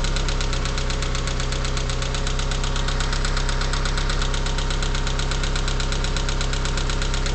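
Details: Mitsubishi 4G63T turbo engine, 143k miles, cold start after 8–10 hours sitting: steady fast tapping knock at idle lasting about a minute and gone when warm; owner suspects lifters or piston slap.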